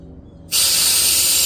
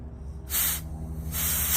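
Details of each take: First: 2010 Audi Q5 3.2 original fuel injector after cleaning, bench-tested with pressurized cleaner: steady sharp hiss holds with no spurts while closed, spraying only when solenoid opened; zero leak-down, injector sealing. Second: 2010 Audi Q5 3.2 with misfire and EPC light; removed, unpowered fuel injector bench-tested with compressed air: three sharp hiss bursts pass straight through when it should seal; injector stuck open, probably dirt inside.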